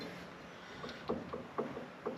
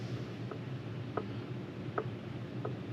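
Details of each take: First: Ford F-series Super Duty Dana axle with a gear change from 5.13 to 4.10: faint small metallic clicks as the pinion is rocked by hand, and backlash is guessed to be a little tight against the five-to-eight spec. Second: Ford Super Duty front Dana axle, regeared from 5.13 to 4.10: light metallic clicks as the ring gear is rocked against a locked pinion, normal backlash of about 0.009 in (spec 0.005–0.008), accepted.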